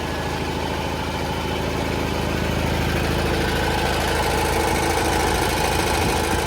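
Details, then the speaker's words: 1980 John Deere 400 tractor, refurbished from non-running, with the original carb redone and a new air filter; oil not yet changed and only initial timing set. Small engine puttering at a steady, even fast idle with no misses; a little smoke at first start after sitting in the garage. Runs normally. "A little smoke when you first start it, but it hasn't been ran. Just in the garage."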